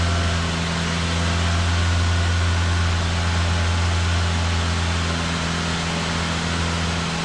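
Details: Idle after the exhaust back box was bolted to the centre pipe, having been left unbolted, on what is believed to be a standard exhaust: a steady, even idle with a low smooth hum and no blowing or rattling. Much quieter than before, and the engine sounds pretty good.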